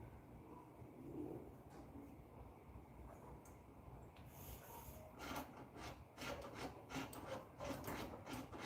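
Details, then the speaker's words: Firebird, lever being worked: quiet, uneven dry rasping scraping back and forth, a worn parking brake cable dragging in its sheath; parking brake cables and shoes to be replaced. "Yeah, that cable sounds like ass. Sounds bad."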